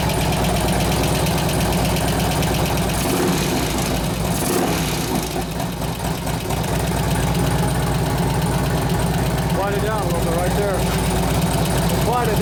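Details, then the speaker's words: 2004 Harley-Davidson FLHT Touring 88 Twin Cam after a cam change and tensioner bearing repair, new lifters, fresh oil and gas: steady V-twin idle with a light uneven tick, about half the earlier lifter noise gone; one or both lifters still ticking. "about half that lifter noise went away but it's so maybe one maybe both"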